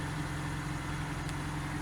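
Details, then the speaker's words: 1987 Fiat Panda 4x4 Sisley, ex-farm car, at idle: quiet, steady petrol hum, barely audible, with no rattle, tick or miss; engine running smoothly and healthy. "to how quiet it is it's just barely on runs like a beer"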